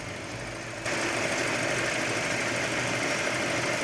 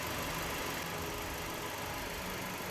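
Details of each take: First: Mercedes C200 W204, CGI direct-injection engine, idling with cylinder 4 coil getting no trigger signal; unplugging that coil doesn't change the running. Steady idle with a regular stumble; one-cylinder misfire, injection module suspected. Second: Mercedes C200 W204 with CGI direct injection, after ignition module repair or replacement for a severe misfire (cylinder 4 worst): steady, even idle with no stumbling. All four coils get an activation signal and the engine runs smoothly.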